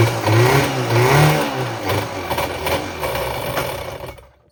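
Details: Running 1994 Kawasaki 550SX stand-up jet ski, reed-valve two-stroke on premix, claimed freshly rebuilt with oil down the cylinders, uneven stumbling burble surging and sagging before dying, heavy smoke; cracked water box suspected, cause unconfirmed.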